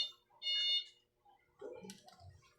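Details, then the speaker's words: Panasonic top-load automatic washing machine that won't start when Start is pressed, power OK: one clear high steady beep of about a third of a second as the last two-pin control switch closes; continuity good, all switches good. "Ayan, nagtunog. Ayan, dapat tutunog siya. Goods lahat na switch."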